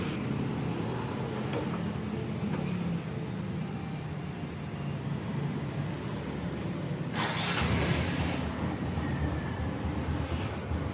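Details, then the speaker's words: Restored Honda Supra X 125 single-cylinder, first start after restoration, still cold: smooth even low putter at idle with no knocks or rattles, pulling cleanly on quick revs; engine sounds smooth with good power, normal idle. "suara halus, tenaganya juga enak, digeber-gebernya. Masih dingin ya, biar dihangat dulu."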